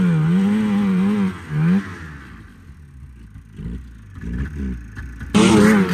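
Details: 1987 Arctic Cat Cougar 500 snowmobile (Suzuki two-stroke), long sitting, run from an auxiliary tank over a suspected fuel problem: revving warbles unevenly, then collapses for seconds before catching; cutting out, owner doubts carbs and suspects a firing problem.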